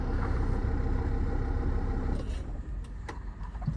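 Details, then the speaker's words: 2004 Mercedes Sprinter diesel with the seatbelt unbuckled: steady idle chug cuts out about two seconds after the brake is pressed, leaving faint clicks. Owner traced the fault to seatbelt wiring or the SRS system; buckling in makes the van run normally. "And it completely died. Just pausing also to say I'm not doing anything off camera unless noted."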